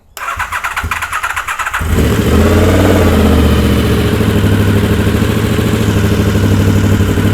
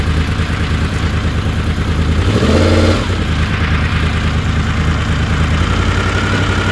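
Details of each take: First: Honda VFR750 with carburettor flat spot, after correcting swapped coil wires: cranks, catches, stumbles unevenly on one or two cylinders then picks up to a fuller beat; carbs not yet filled through fuel cut relay. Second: Honda VFR750 V4 on the lift after slow-screw O-rings were removed and the screws cracked out a quarter turn on each carb: even idle, then a sharp blip that rises cleanly and drops straight back. Response was anemic before; not yet road-tested.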